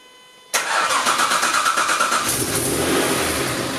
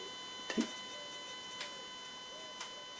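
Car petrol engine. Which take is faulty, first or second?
first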